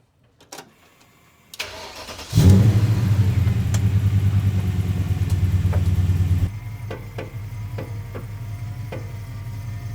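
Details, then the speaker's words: BMW E39 M5 track car, engine idling, sway bar links detached: sharp, uneven front suspension clunks turning slowly either way, equal on both sides; poly bushings lubed without fix, later monoball thrust and control arms. "You hear the clunking? And it's equal on both sides."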